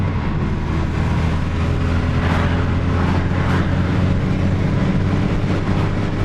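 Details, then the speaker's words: 1990 VW Corrado G60 supercharged, stock boost control, boost test on test drive: about 6 psi by 3,000 rpm, which sounds about right; deep steady engine drone under load with faint rising whir; normal running under boost. "There we go, 195 by 3,000. So we are into about 6 psi by 3,000 RPM. That sounds about right."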